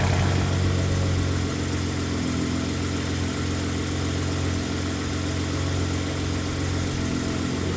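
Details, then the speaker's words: Ford F-150 work truck (6R80/10R80 transmission era, shudder being serviced) idling after cold start in loud Baja exhaust mode: deep loud rumble settling into steady even idle; normal healthy engine, just loud exhaust setting. "All right, so things have settled down a bit. It's still loud here, even at idle. This is in Baja mode."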